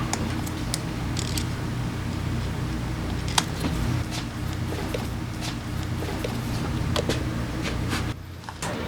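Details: Italjet Griffon GF125 scooter that sat unused 10 months and would not start, after its clogged carburetor was cleaned: a small single runs with an even low beat and no misses or rattles. Normal running.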